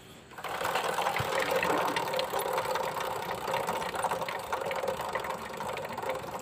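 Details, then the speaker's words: Hero Splendor BS6 motorcycle, chain about 6000 km since replacement, on stand turning the wheel: loose, irregular clacking about three times a second as the slack chain rides over sprocket teeth instead of meshing: loose drive chain. "இந்த இடத்துக்கெல்லாம் கடக் கடக் கடக் கடக்குன்னு ஒரு sound மாதிரி கேட்கும். ரொம்ப loose ஆகிடுச்சு அப்படின்னாலும் வந்து பார்த்தோம் அப்படின்னா நம்மளுக்கு வந்து அந்த மாதிரி செயின் வந்து கரெக்டாக அந்த ஹோல்ஸில் வந்து அந்த டீத் வந்து மேட்ச் ஆகாது."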